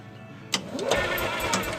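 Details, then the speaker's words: EZGO golf cart petrol engine with the throttle stop backed out so the throttle closes fully; after a click it churns and tries to catch, showing the carburetor leaking fuel into the intake and causing backfires; carburetor to be cleaned. "If it's still trying to crank up, which this is apparently still trying to crank up, and the throttle is closing all the way, that tells me that the carburetor's leaking gas into the intake, causing it eventually to backfire."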